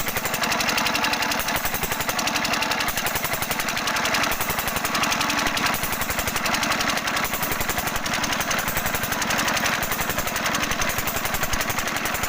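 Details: 5 HP diesel engine (Usha/Kirloskar/Fieldmarshal type): sharp, hard knock on every firing stroke, about three to four a second, rattly and harsh over the thump. Abnormal knock; nozzle adjustment suspected, not confirmed.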